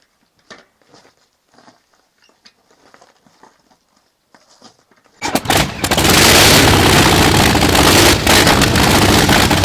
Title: Honda Monkey exhaust leak